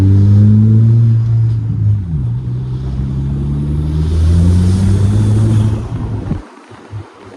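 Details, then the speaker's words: VW Golf turbo engine pulling up through the revs with a faint airy hiss under load, from about half throttle once in boost. A boost leak is suspected; a clamp refit didn't help and pinholes or an expanding pipe are suspected. "I'd say probably half throttle is when it would start to happen so really when it got into boost because anything under that it didn't it just ran fine"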